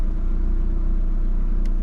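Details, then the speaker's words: High-mileage VW Scirocco idling, clutch let out and pumped up and down: smooth, even low idle hum with no rattle or change of note, indicating no dual mass flywheel fault. "Whoa, thank God for that. That's quiet as a mouse. What I'm doing now is I'm pumping my clutch up and down, and all you can hear is the engine."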